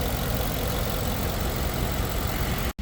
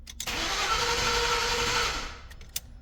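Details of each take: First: 2011 Ford F-150 5.0 V8 after a crank-no-start with misfire faults once started: idle now steady and even with no skips or stumbles, no longer missing; possibly trash was the cause, uncertain. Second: 2011 Ford F-150 5.0 V8 cranks with a steady starter whir for about two seconds but won't start; no RPM signal. It failed to start after an engine wash, and the crankshaft position sensor and ignition parts were already replaced.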